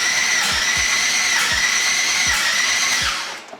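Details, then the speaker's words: Twin-turbo LS-swapped Mustang with a 5.3 and a newly installed BTR Stage 4 cam: the starter whines high and steady with uneven thumps, turning over but never firing; cranks but won't start because the cam timing was installed well off. "still nothing what the hell's going on so i tore everything apart real fast and i was off timing uh a pretty good amount of completely forgot about that"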